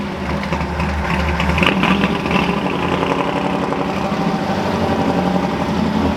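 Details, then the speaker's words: Ford F100 V8 with new engine, cold start before warm-up; rough, uneven patter of light knocks over the idle rumble, piston slap when cold, loud fuel pump audible, otherwise running fine. "So you'll hear piston slapping a little bit. Happens when it's cold. Other than that, it seems to run fine."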